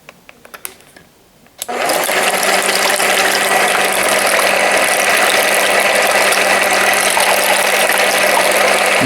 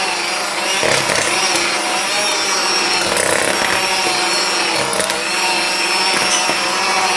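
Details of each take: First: Aldi Ambiano cordless hand mixer, modified version, mixing eggs: after handling clicks the motor spins up to a steady even hum with soft gear whir and fan rush; running smoothly, normal. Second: Aldi Ambiano cordless hand mixer on speed two in thick batter: motor whirrs then sags and labours, really bogging with little torque and slight heat felt on the unit.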